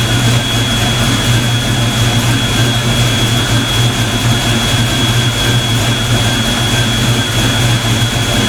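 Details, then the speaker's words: Ford Mustang V8, first start after fitting 24 lb injectors, not yet warmed up: steady even low rumble with a faint constant high whine, no stumbles or knocks; idles smoothly and healthily. "that sounds damn good i'm getting excited i think i did something right"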